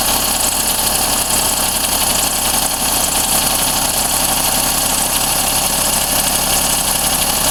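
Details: Daihatsu Cuore L7 EJ-DE at 135,000 km, fresh 0W-40 oil: fast, light metallic ticking over idle, rpm-dependent, not from the cylinder head. It gets quieter as the engine warms and in summer but never fully disappears; cause not pinned down.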